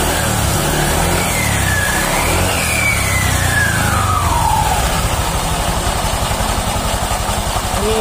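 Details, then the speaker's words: Honda Vario 150 LED (K56) CVT after repair: smooth, even drive hum with no rough growl or rattle, as smooth as original, unlike the earlier rough noise. "Oke, di sini sudah sangat halus, sudah enak seperti semula."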